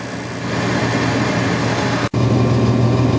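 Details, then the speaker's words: 8.5-ton Carrier unit on a no-heat call, steady hum with fast irregular crackle about four snaps a second; igniter wire with hole in insulation, held tight by a wire tie, arcing to the bracket instead of the electrode; fix is insulating it. "So my bet is that I'm sparking from here to here against this rack instead of against the electrode where I'm supposed to be."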